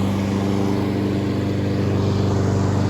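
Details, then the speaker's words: Honda HRN216VKA lawnmower running outside on fuel-stabilised gas, being run dry to winterize: steady, even drone with smooth low beat, no misses or knocks; normal running. "Hello guys, well as you can hear, I'm running my Honda HRN216VKA lawnmower outside."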